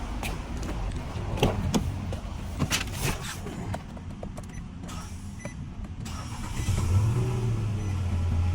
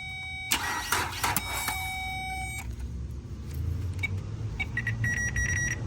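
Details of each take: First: Nissan Altima that would not start despite a new alternator and belt. Low hum and a few clicks, then it picks up cleanly and settles into an even idle; the fault was found to be a bad starter. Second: Nissan Altima with new alternator and belt: short bursts of cranking with whining starter tone, scattered clicks and a faint low rumble, never catching; owner suspects a failing, sticking starter.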